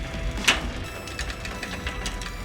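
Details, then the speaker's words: Road bike with a short-cage derailleur upgraded to an 11-32T Shimano Tiagra 10-speed cassette via a Wolftooth RoadLink: irregular clicks and a ratchety grind as the chain skips on the largest cog; the limit screws need adjusting. "as you can hear that it was kind of skipping and grinding and stuff like it's trying to catch the gear"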